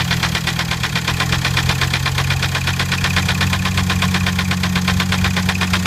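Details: 2006 VW Jetta TDI diesel, running for the first time, idles with a steady, sharp tapping of about three knocks a second over the diesel clatter; knock at idle, cause unknown.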